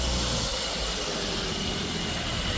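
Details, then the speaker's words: After fitting a new belt tensioner, whose old bearing was dry and made a whirring noise when spun, the engine idles with a steady even hum and no squeal or whirr; owner had been unsure whether alternator or tensioner was at fault. "That seems to have cured that. That just needs a new tensioner."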